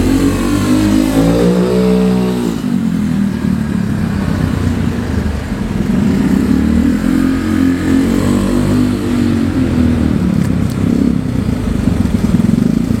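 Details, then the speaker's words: Honda Vario 110 carburetor scooter on a test ride with a new R-One standard-racing exhaust replacing a 4–5-year-old pipe; smooth, even note swelling with throttle, deep muted exhaust while carb intake roar and engine sound dominate; normal, healthy. "tapi untuk suara yang lebih terdengar itu suara raungan karbu dan juga scin jadi suara si knalpotnya itu lebih saru lah y"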